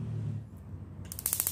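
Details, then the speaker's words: Wasser WH 506 A gas water heater, testing a known-good control module: a valve click then a burst of sharp rapid igniter ticks; igniter sparks and solenoid opens as it should, unlike the failed module. "nah seperti ini, mantik di sini hidup, solenoid di sini terbuka. Itu kontrol box yang betul ya teman-teman."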